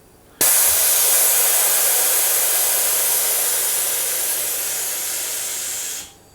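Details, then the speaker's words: DeVilbiss iFill medical oxygen pressure booster (up to 2000 psi) driven by small compressor at about 3 bar supply: loud steady air hiss about five and a half seconds then cuts off; chamber refilling, normal stroking. "It's a very small compressor, and you hear it, you need a lot of air because the whole chamber here in the middle has to fill up again and again."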